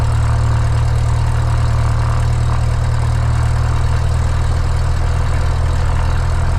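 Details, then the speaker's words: Light aircraft piston engine, mixture full rich, started on the left tank then selector moved to what was thought "both" but was actually off (unmarked old faceplate): steady low idle sounding starved, ready to quit, then dies; fuel starvation stall. "So I put it back to both and just let it sit here and idle, and that's what it's acting like it's doing, is running out of gas. It went dead again."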